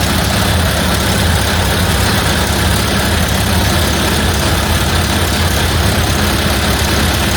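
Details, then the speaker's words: 1931 Ford Model A Victoria four-cylinder, first run after an in-frame tappet and cam replacement for a broken valve lifter. Low, loose but even idle with no tappet clatter, sounding like it always did; the carburetor still needs adjusting and the timing was left untouched. "that sounds like it always did I guess I'll adjust the carburetor I would call that a success"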